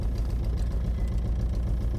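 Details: 2006 Nissan Altima petrol engine idling with a lumpy, uneven chug from a single-cylinder misfire; a coil pack is suspected.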